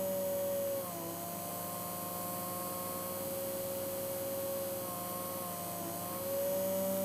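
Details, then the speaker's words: Original Hornby-fitted motor of a Hornby P2 Cock O' The North locomotive, static off-load test, starting at about 4 volts: a steady whir whose pitch drops suddenly, then climbs back, so the speed surges unevenly. "but also as it's running you can hear it varying in speed quite considerably slowing down all of a sudden there it goes"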